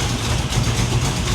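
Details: 1987 Chevy Monte Carlo SS V8 idling after new transmission install: faint sharp puffing tick on each firing pulse; leaking header gasket on one side, new header gasket to be ordered.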